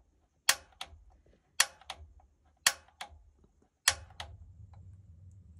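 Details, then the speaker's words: Newly installed gas water heater, knob on pilot and held in: four sharp igniter snaps about a second apart, then a soft low rumble as the pilot catches for the first time; normal igniter clicks and pilot ignition. "More often than not, you can actually hear it turn on for the first time."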